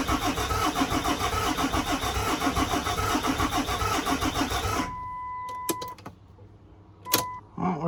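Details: 2008 Dodge Ram 3500 6.7 Cummins diesel, bought as a no-start, with a scanner showing fuel rail pressure; the starter cranks at a steady chug for about five seconds without catching, cranks but won't start.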